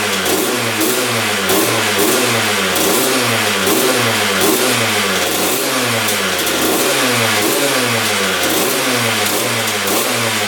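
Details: 2001 Honda CR125 two-stroke, seller-rebuilt engine, after fixing a throttle cable that held the slide open: crisp, crackly revving that drops back cleanly with even firing and no misses; normal running.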